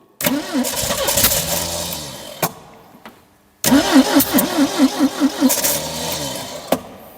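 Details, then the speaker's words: 1972 Triumph Dolomite 1850 barn find, off the road 34 years: two cranking bursts with uneven, strengthening beats, almost catching then dying; owner says definitely a fueling issue, choke seized. "okay okay so we definitely got a fueling issue we definitely have a fueling issue which is good but guys what do you think it's it seems to be try to start"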